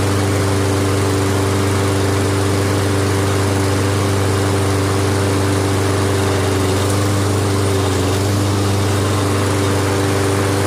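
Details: Toro Recycler self-propelled mower, started outdoors near road traffic; steady even drone with constant pitch, no misses or knocks; normal running.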